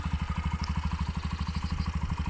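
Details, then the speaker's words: Romet K125FI, Euro 4 fuel-injected 125 single, just started: even low putter about twelve pulses a second, steady with no knocks or misses; healthy idle, sound judged improved. "bardzo ciekawie to wygląda i brzmienie również według mojej ocenie się poprawiło"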